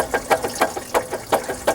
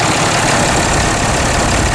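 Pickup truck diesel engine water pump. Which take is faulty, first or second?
first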